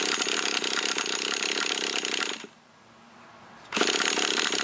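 Fast, steady cranking at about four beats a second stops, then starts again, but the engine never fires; it cranks without starting. Cause suspected, not confirmed.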